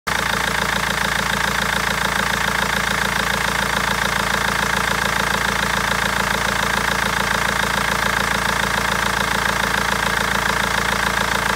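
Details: BMW 320d diesel clattering loudly and steadily at about two knocks per second over a rough idle with misfires; injectors or tappet suspected, but garage and seller have not found the cause in over a month.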